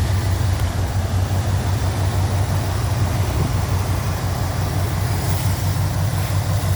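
Smooth, steady V8 idle with a deep even burble and no ticking from the top end; valvetrain sounds healthy.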